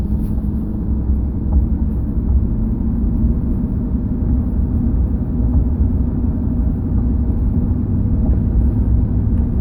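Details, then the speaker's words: 2005 Chevrolet Silverado 2500HD on a neighborhood drive after replacing the steering column bearing: steady low road rumble, no rattle over bumps where it used to rattle; column quiet and tight. "So, here's a spot where it would normally rattle. Listen. No rattle. It's beautiful."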